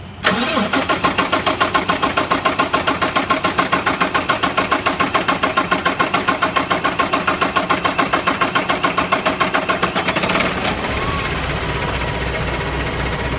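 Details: Paccar MX diesel hard start after hand priming the fuel system: starter cranks evenly at about three and a half pulses a second for ten seconds before the engine finally catches and settles.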